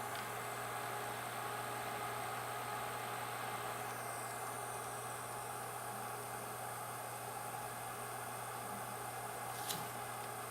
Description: My YN600 LED light has a some loud cooling fan.